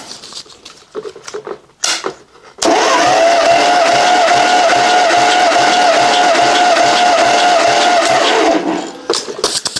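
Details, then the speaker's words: 1956 Dodge 230 flathead six on an engine stand, warm, cranking for a compression test with plugs out and throttle wide open: steady cranking with regular pulses about three per second; readings about 135-140 psi, even and healthy. "So decently even compression all the way around."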